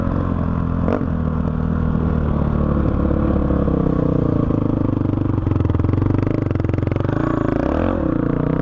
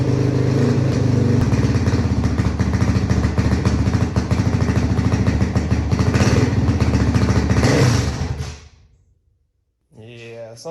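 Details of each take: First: 2005 Honda CRF450X single-cylinder that sat 10 years, ridden after richening the needle one notch (two from bottom) and raising the main jet to 190 with a 45 pilot: strong even bark, clean throttle pickup, no stumble or bog; running great. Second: 2005 Honda CRF450X, stored about 10 years, kickstarted after fixing fuel tank leak: rough, uneven single-cylinder bark falters and fades out at about eight seconds; carburetor bogging, later fixed by carb tuning.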